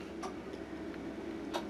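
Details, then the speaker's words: Relay under a model railway layout clicking; a few sharp, unevenly spaced clicks over a quiet room hum, normal relay switching. "and what's that I can hear it clicking now it's just a relay down there"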